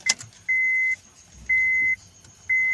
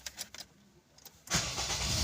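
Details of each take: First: Honda Fit with hard start and check engine light, code P0335: five warning chimes, then about three seconds of steady even cranking that never catches; crankshaft position sensor failure. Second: Honda (Civic, Accord, Fit or CR-V 2001–2011 family) after crankshaft position sensor replacement for code P0335 crank-no-start/hot hard start: brief starter whir, catches within about a second and runs steadily; normal start.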